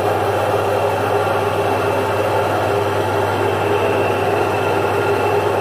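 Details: Single-phase 1 HP domestic stone-type atta chakki (flour mill) grinding jowar: even steady motor hum with soft stone rumble, no knocks or wavering; normal grinding, mill running healthy.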